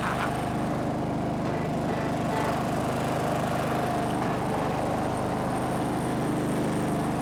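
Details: Snapper riding mower, garage-stored by the original owner, runs after the angled fuel tank that starved it of fuel was set back in place; a steady, even drone with a constant low hum, no knocks or misses, healthy running.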